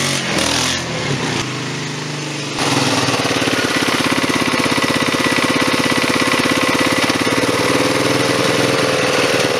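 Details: Rebuilt 1998 Polaris 500 ATV single-cylinder with new head gasket, cam and carb: after a brief unsettled start it settles into an even, steady thumping idle with no knocks or misses. It runs healthy.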